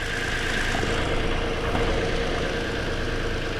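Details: 2020 Toyota Sienna brought in for crank-no-start, with a shorted rear ignition coil found, running: a steady, smooth low idle hum with no misses, knocks or stumbles.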